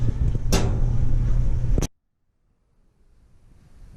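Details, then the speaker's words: Maytag LDE6914ACL dryer running: deep regular thumping, three to four beats a second as the drum turns, felt tapping at the top; drum knocking against top panel from a loose panel bolt, not the drum rollers. "This is the sound our dryer is making. And I can feel right in here something's tapping the top here."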